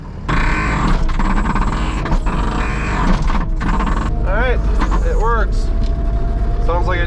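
Loud steady engine drone with a few squeaky rising creaks as the attachment moves; pivots sound dry and likely want grease.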